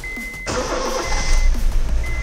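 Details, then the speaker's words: Honda City after fuel pump replacement and priming the fuel system: engine catches right away and settles into a smooth, steady, stable low idle with no stumble. "लें जी गाड़ी start हो गई है हमारी। RPM जब हमने देखने के स्टेबल हैं या नहीं, जो कि स्टेबल लग रहे हैं,"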